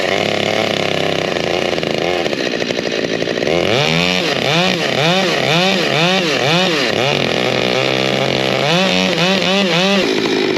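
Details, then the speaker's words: Prototype 572 big-bore chainsaw, warm, outdoors in wind: repeated sharp revs drop back each time to a slow, slightly sagging idle; owner suspects idle set a touch low after past trouble returning to idle. "sounds like it when it's warm now it might be just a touch low but we'll block up this piece and see what it does"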